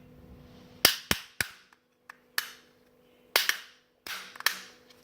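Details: Energizer 225-lumen headlamp: sharp, loud plastic clicks in irregular bursts as the tilt bracket ratchets through its notches; works normally but far louder than another brand's headlamp.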